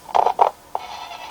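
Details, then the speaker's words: Medieval Knight Helmet novelty AM radio: sound cuts in and out in crackly bursts as the volume knob turns; scratchy, dirty volume potentiometer with tiny contact points, to be taken apart and cleaned. "The volume knob, hear that? It's really sensitive. It's real scratchy."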